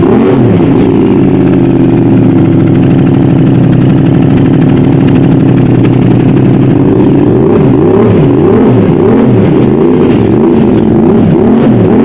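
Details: Aprilia RS660 twin at first start after mods, a new exhaust, oil filter change and coolant refill, before its new bespoke map: steady, even burble with a deep exhaust note and light throttle blips; sounds healthy and clean.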